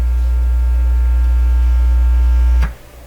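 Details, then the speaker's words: Sparton 1567 tube radio powered up through dim bulb tester with external amplifier connected: loud steady low hum from the speaker for nearly three seconds; strong mains hum, source not yet traced. "so that that hum I you know I'm sure you heard it he must have heard that that home is in tolerably loud"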